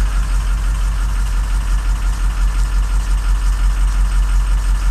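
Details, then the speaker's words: 2007 truck diesel, 119,000 miles: heavy idle with uneven loping pulse as cylinders drop out on contribution test; 1 dead, 7 laboring, 5 dropping; whole bank of 1, 3, 5, 7 suspected; injectors 1 and 7 and ICP sensor needed; wiring to be checked. "seven's laboring one's freaking gone we need to check the wiring on one uh-oh there goes five it's that whole side"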